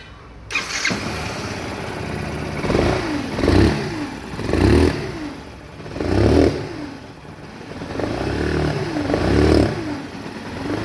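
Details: 2017 Factor 150 motorcycle engine started and blipped: turbine-like whine rising and falling with revs; owner suspects a broken engine bearing, with a burnt stator also found, not confirmed.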